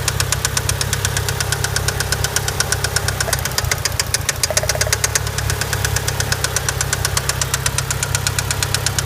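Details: Mitsubishi Eclipse GST, a couple miles after an oil change: sharp, regular metallic knocking about three per second over the idle, constant; rod knock, owner plans an engine rebuild.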